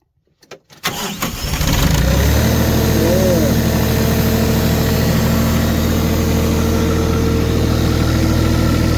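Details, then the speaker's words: Diesel tractor in snow, plugged in, stalled from gelled/iced fuel with water in it; anti-gel cetane additive added and fuel system bled a third time. It cranks briefly, catches cleanly and settles into a steady, even idle: a normal start. "Now, she sounds good."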